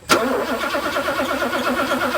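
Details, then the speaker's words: 1984 Mercedes 500 SEL pre-merger AMG, first start without starting fluid after sitting 27 years, on a used Porsche battery: slow, laboring, weak cranking that doesn't catch and may need a jump; it won't start on its own, though the fuel pump works. "and we might need to jump this thing off it's pretty weak right now"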